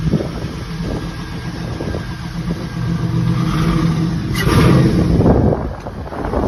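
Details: Chevy C10 with an LS swap, a 4.8 engine from a 2003 truck, first started in March 2023 without much trouble. Deep, even V8 burble with a couple of smooth revs and a clean return to idle, no ticks or misses. Sounds healthy.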